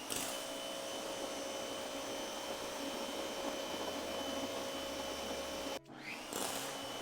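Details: Active 2.0 pressure washer after about two years of use, stock nozzle, measured at 825 PSI and 1.84 GPM: constant high motor whine with a faint pump hum, steady speed without surging or grinding; normal running.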